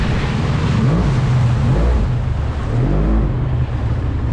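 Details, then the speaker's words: Polaris SL750 jet ski on a cold 38°F lake, strong steady low drone holding under load with water and wind noise; engine pulls cleanly, normal running after the issue was fixed. "that fixed the issue that fixed the issue for sure okay that makes everything all worth it man"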